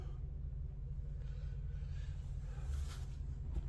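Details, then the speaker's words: Lexus LS400 heard faintly from outside near the wheels: a steady low hum with no knocks or surges. Quiet, normal idle. "the car is still running you can maybe hear it a little"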